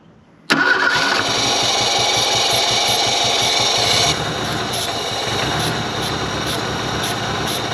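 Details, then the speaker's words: 1983 Ford Thunderbird Turbo Coupe 2.3 L turbo, 5-speed, unrun for 20 years: starter cranks at steady even beat, about four turns per second, but never catches; no fuel getting through, dead fuel pump suspected. "she wants to go well she's not getting no fuel"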